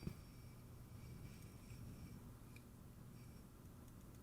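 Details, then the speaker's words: Tube signal tracer powered up slowly on a dim-bulb current-limiting supply with no excessive current draw: the speaker gives a low, steady hum, suspected to be a coupling issue, unconfirmed. "already hear the speaker humming that would be that coupling issue I'm pretty sure [Music] well there's definitely a hum there"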